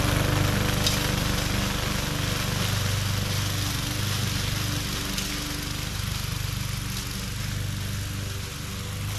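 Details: MTD 20-inch mower with Briggs and Stratton engine, previously hydrolocked with oil, test run after repair: steady, even drone with smooth firing beat and no misses or surging; running healthy under load.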